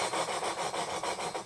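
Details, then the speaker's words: Royal Enfield Bullet 350 Classic valve being lapped onto its seat with coarse compound, giving rhythmic gritty rasping strokes about five per second. This is normal lapping; the sound fades as the paste wears away. "that lovely grinding noise and you'll hear when the grinding paste is worn away like that"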